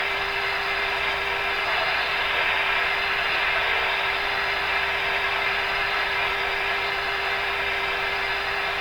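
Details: RCA A-32 Globetrotter radio during a band listening test: a steady hiss with a constant mid-pitched tone and no station coming through. The interference came from a nearby soldering iron and vanished when it was switched off.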